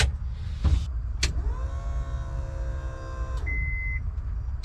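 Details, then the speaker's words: 1997–2001 Honda Prelude with JDM H22A swap, new fuel pump after the old one cut out intermittently: ignition on, steady whining hum for about two seconds then stops; healthy pump priming. "There you go, you can hear the pump whining."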